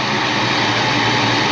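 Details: 1988 Saleen Foxbody Mustang V8 with Trick Flow 170 heads, Kenne Bell supercharger, after fixing the misfire: steady even rumble, no stutter or skipped beats; exhaust primary temps now even, in the 300s to almost 400s; normal idle.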